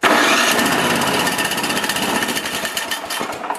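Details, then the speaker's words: Used snowblower being checked before purchase: the starter spins the engine briskly and it catches almost at once into a rattly small-engine run. Normal starter cranking and start. "As you saw there, it started right away. The motor spinned pretty quick."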